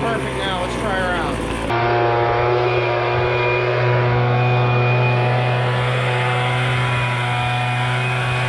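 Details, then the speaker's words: MTD Bolens BL125 two-stroke leaf blower just started after carburetor repair, adjustment screws notched with a Dremel for adjustment: steady even buzz holding one pitch with no surging or dropouts; running cleanly. "okay we but started up now put it on run you guys can [Applause] hear it's running"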